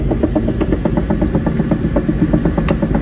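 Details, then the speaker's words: Develon DX210 excavator that won't track straight despite a new track motor last month; side switched to high-speed travel shows a quick, even churning pulse about four per second, normal; mechanic says the slow old-side motor is the problem. "working again yeah that's better that's what it should be like should be like"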